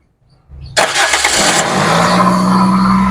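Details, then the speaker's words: 2001 Toyota Corolla Altis 1.8G automatic after ignition coil ground wire replacement: starts first crank and settles into a smooth, even, raised cold-start idle with no misfire; idle should drop to about 800 rpm once warm. "Ano kasi, cold start pa yan, kaya mataas pa yung idle niya. Pero bababa na ho yan pag bumaba na rin yung temperature niya."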